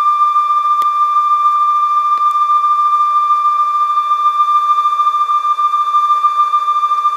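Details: Conion CRC-H84 cassette deck after belt replacement and lubrication, checking tape speed and wow/flutter: steady high test tone over light hiss, even pitch, no audible wobble.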